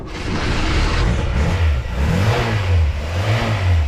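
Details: Ford Fiesta MK1 XR2 barn find, started after bypassing the immobilizer with the flash code: catches, blips up a few times, then settles into a steady, even idle with no misfire or knocking. Normal start.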